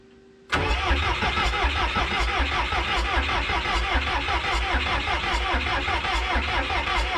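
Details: 1986 Lull 644-TT-34 Highlander II telehandler diesel, sat many years, non-running, fuel reaching number one injector: steady starter churn at about two and a half beats a second, even compression pulses, never catches; cranks without firing.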